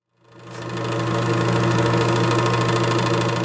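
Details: Air King bathroom exhaust fan: loud hum with a fast, uneven rattle as the blower wheel scrapes the housing; fixed by replacing the blower wheel and/or motor.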